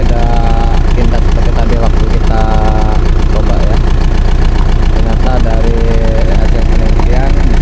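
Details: Old Isuzu Panther diesel that kept stalling as if air-locked, after clearing dirt that clogged the fuel line and bleeding air: steady, even idle clatter, about four firing beats a second, no stumbling; fuel delivery sounds healthy now.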